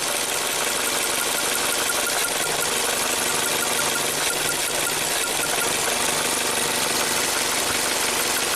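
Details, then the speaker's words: 2017 Ford Transit Connect at idle during a cylinder drop test after a crooked ignition coil was reseated to fix a misfire: fast, fine crackling ticks over a steady idle as spark arcs from a lifted coil. "So if you lift up the coil, you can hear each one sparking."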